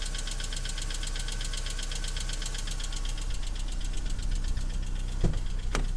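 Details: BMW E46 318i 118hp on cold start: fast, even light ticking about seven or eight a second over idle, sometimes stopping and returning after throttle; hydraulic lifter tick, fixed by replacing hydraulic lifters.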